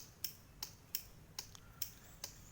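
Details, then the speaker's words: Kawasaki Boss 175, won't start: sharp dry clicks about every 0.4 seconds with no cranking; suspected weak battery or worn starter brushes, also fuel tap or flooded carburetor. Cause not confirmed. "อย่าเงียบสภาพสตาร์ทไม่ติดไงตัดหญ้าครับอ่ะถ้าเปิดแล้วจะมีเสียงกดstartนี้นะครับเงียบเลย"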